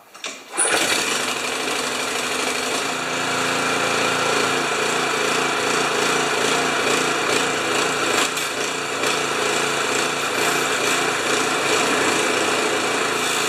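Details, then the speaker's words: Honda HS720 commercial snow thrower, previously running poorly and backfiring, after fuel tank cleaning: steady high-pitched single-cylinder drone with slight speed surge, no popping or backfire; runs properly. "it's got a little surch just like 99% of pressure washers and little blowers and but it runs and it doesn't backfire anymore"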